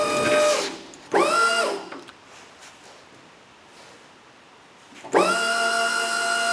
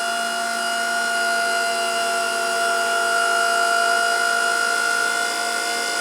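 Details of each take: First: Electric pallet stacker hydraulic pump motor lifting forks to about 10 feet after rewiring with larger wire; quick spin-up bursts then a steady clean hum; nearing the top of travel, sounds better and may lift faster. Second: Pallet stacker after rewiring with larger wire, forks raised about 10 feet near top height; steady high-pitched pump whine, pump sounds like it is running out of fluid; hydraulic pump whine.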